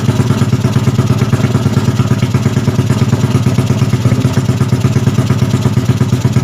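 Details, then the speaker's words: Yamaha Jupiter Z bored up to 120cc with 53.5 mm piston, first start after rebuild, cold: small single settles into a steady, even idle with a regular low putter and no knocks; normal idle. "OK, so for life it's more or less like that, friends."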